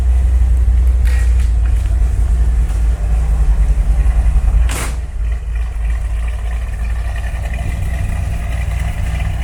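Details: 1972 Corvette C3 V8 after fitting new rear mufflers replacing rusted ones. Deep even rumble with a steady low beat and a quick rev; no rattles, leaks or blowing; exhaust sounds healthy.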